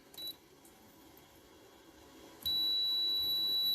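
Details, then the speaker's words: 2009 Hyundai Sonata with no interior illumination or right rear lights: steady high short-finder buzzer on the shorted tail light circuit, then it pops; a 10 A fuse blew earlier, 5 A fitted. "can hear the buzzer and it popped it right there you can see it's white i popped it"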